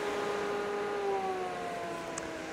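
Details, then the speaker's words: Inline mixed-flow bathroom exhaust fan with excess flexible duct scrunched onto the fan instead of cut to length: steady hum whose tone sags slightly as airflow is choked; flow measured down to 81.8 L/s. "So this is really common where rather than cut a length of duct a piece of duct to length, you just just scrunch the extra duct onto the fan or something like that."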